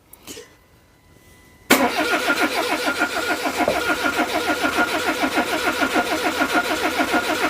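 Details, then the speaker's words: Peugeot 207 after a head gasket repair (it had leaked coolant into cylinder 4), cranked with the coil pack disconnected to get oil to the top end. An even chuffing crank with no firing; healthy cranking. "I'm now going to uh crank it over make get a bit more oil up the top end and I'll put the coil pack on"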